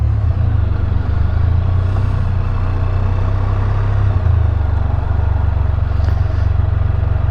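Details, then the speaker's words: New 2022 Can-Am Spyder F3L, 1330 ACE engine, under way on the road. Deep, steady exhaust rumble with no knocks, ticks or misses, sounding like an F3. Normal running. "geez she sounds like a an F3 sounds really really good"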